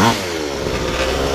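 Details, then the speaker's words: Two-stroke pocket bike after petcock bypass mod (restrictive fuel valve removed, straight feed); buzzes at steady high rev with no stumbles or cut-outs, no longer cutting out; running fine. "so that's pretty cool uh so yeah it's running pretty good"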